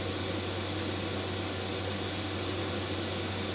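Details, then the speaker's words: AutoTerm 4D diesel heater in a VW Crafter camper, on high and powered by a Bluetti AC200MAX drawing a constant 37–39 W with 60% battery left, cabin reading 18 degrees: a steady, even fan-and-burner hum with no pulsing or rattles. It is working a treat. "Working a treat."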